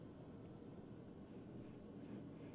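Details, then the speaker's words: 2017 Ford F250 6.7 Power Stroke diesel, 92,244 miles, shaking at idle with a lumpy, uneven beat; codes P0305 cylinder 5 misfire and P1265 injector short, traced to a bad injector, fixed by replacing and programming IQA code. "Man, this thing's bouncing. It feels like it's cammed. That's what it feels like. Just rocking back and forth just sitting here at idle."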